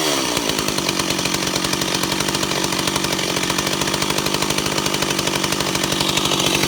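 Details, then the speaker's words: Ported Stihl 028 Wood Boss after carburetor-to-intake gasket fix, tired clutch springs; idle around 2400–2600 rpm back and forth, crisp even steady buzz without surging or stumbling: normal idle. "You can clearly hear it's at idle. It's around 2600 RPM, 24 to 26, back and forth."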